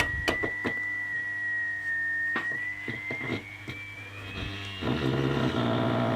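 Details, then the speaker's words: Mid-1930s vacuum tube radio, IF at 455 kHz, after adjusting tuning capacitors: steady test tone then rough buzzy distortion returns; suspected bad capacitors inside IF cans, possibly silver mica disease, not confirmed. "so it sounds like the capacitors in these things are bad that's what that sounds like"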